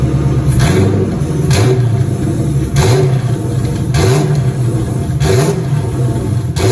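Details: 2003 Cobra turbo V8 after engine reinstall with new valve cover gaskets; return-style fuel system about 55 psi; intercooler cold-side pipe disconnected; revs blipped roughly once a second, climbing and falling cleanly with no knocks or misses: normal revving.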